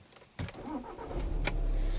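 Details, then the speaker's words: 2012 VW Jetta TDI common-rail diesel after gasoline misfuel was pumped out and refilled with diesel: brief crank, catches quickly and settles into an even idle without stumbling; normal start. "Started right up. I hope you guys can hear that."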